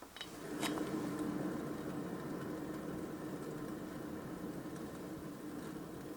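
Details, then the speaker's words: Car wheel hub spun by hand with brake disc and pads removed, worn bearing: silent at rest, then a soft steady rolling hum with faint gritty drone when rotated, indicating a bad bearing. "this small sound this is bad let's go to listen closer now this bad sounds come from here inside listen this is starting point silence then I rotate we can hear this whoa whoa and this rolling sound it is bad"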